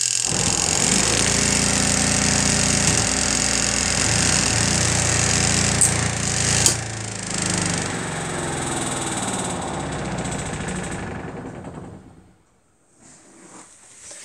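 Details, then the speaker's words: 2019 Zeny RV washing machine's spin dryer running: fast, steady whirring hum with a fine even rattle, then a smooth spin-down; operating normally. "So you guys, this is what the spin dryer looks like. If you guys, this is what it looks like when you turn it on."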